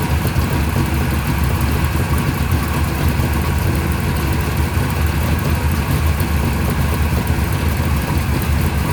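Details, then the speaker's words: Mopar 580 stroker V8 first startup on run stand, mufflers fitted, timing 33 degrees, about 1,400 rpm, 65 psi oil pressure: deep even rumble at high idle, no misses, knocks or ticks; normal fast idle. "I got the timing on 33 right now. It seems pretty happy. We were about 1,400 RPM."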